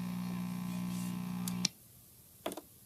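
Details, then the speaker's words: 1964 Magnavox Connoisseur AM/FM tube clock radio, before replacing its old electrolytic capacitors: steady low buzzing hum in the background, not severe, that cuts out when switched off, followed by clicks. Mains hum, cause not confirmed. "as you can hear the hum in the background it's not that bad"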